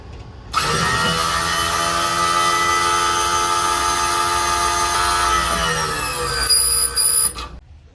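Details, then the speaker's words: 2002 Winnebago Journey slide-out hydraulic pump retracting the cylinder fully: steady electric hum turning to a sustained high squeal as the relief valve opens at full retraction of the small cylinders; normal. "you should have heard the pump change its tone too from i almost have no reason no resistance on it to what sounds like um a high-pitched squeal that's a relief valve opening up so that means the small cylinders are fully retracted"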